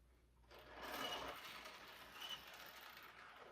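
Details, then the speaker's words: O-gauge model train observation car rolling with a thin, shrill squeak rising and fading over wheel rumble; squeaky wheel axles. "Hear the squeak? It's like nails on a chalkboard."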